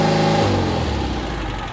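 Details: Porsche 356C air-cooled engine at about 3000 rpm while setting ignition timing with a timing light, reading about 32 degrees advance: smooth, clean note held at fast revs, easing off with no popping or stumbling; healthy.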